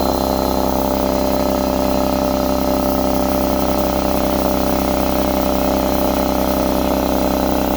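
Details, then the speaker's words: Husky C303H air compressor after repair for not building pressure: loud steady motor hum with quick even pumping beat, no knocking or hiss; running normally, building pressure, pump hot. "yes we got pressure this time we want to listen for any leaks get your ear next to it wow this is hot seems like it's working well"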